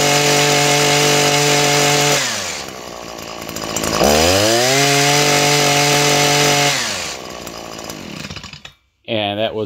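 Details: Small two-stroke engine with very low compression gauge reading (about 20 PSI or less); steady crisp buzz that drops then snaps back up cleanly with throttle, even firing; normal running despite low compression test.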